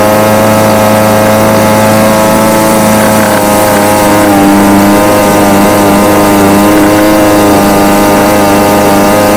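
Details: Homelite UT20042A string trimmer from a scrap lot, previously non-starting, after replacing the carburetor (C1U-H60) and tuning it: steady high-pitched two-stroke buzz holding an even note with slight wander, firing cleanly; normal running.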